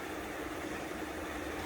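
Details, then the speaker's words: Fil (Italy) FA 120 dual-spindle bed milling machine, horizontal spindle (ISO 50, 25–1200 rpm) stepped up through 25, 285 and 610 rpm: smooth steady hum, faint even tone, no grinding or knocking; no noise, normal spindle running. "As you can hear, there is no noise at all. Even at its high spindle speed also, it is silent."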